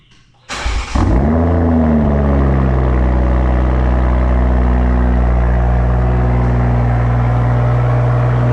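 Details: Evo with Tomei exhaust and stock OEM downpipe reinstalled: starter whirr, quick flare, then revs settle to a smooth, steady, deep idle with no ticks or knocks; normal healthy cold start.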